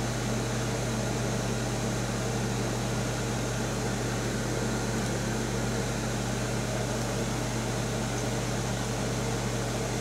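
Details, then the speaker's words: Vintage 1975 Amana Radarange RR-6W microwave on slow cook: magnetron cycles between about 80 watts off and 1500 watts on; constant low hum with even fan rush, very quiet magnetron start, no buzzing or arcing. "now we're not running the the magnetrons now we're down to 80 watts again very quiet magnetron you can just barely hear it start up"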